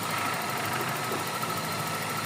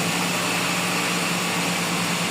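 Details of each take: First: Toyota Corolla GLI 4A-FE engine with severe idle noise, wiring and under-chassis issues: steady low idle with fine rapid ticking and rattle riding over it, no speed change; cause not confirmed. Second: GLI 4A-FE after work on idle, wiring and under-chassis issues: smooth steady idle hum with no ticking, rattle or surging; earlier noise gone.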